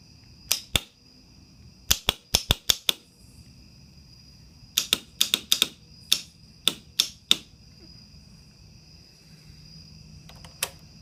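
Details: Kawasaki Ninja 250 won't start: sharp irregular bursts of dry clicks with no cranking; possibly a chattering starter relay, unconfirmed.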